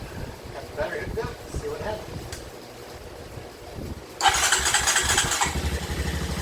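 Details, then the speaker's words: 2007 Honda Recon ATV, wrecked and left sitting 8–10 years, first start with nothing touched: a sharp burst as it fires, then an even single-cylinder idle with no stumbling and no visible smoke. Runs normally. "Right out the box, I didn't touch anything. And she is idling. I don't see any smoke coming out. That's good news. She runs, she idles."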